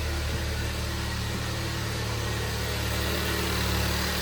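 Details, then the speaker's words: Hyundai Avante 1.6 G4FD, about 300,000 km and 11 years old, after block sleeving and a full rebuild for severe piston knock: heard from outside while warming up, a smooth, even idle with no knocks or rattles. The engine is running normally. "Тишина. Никаких суков бряков нет. Работает ровно."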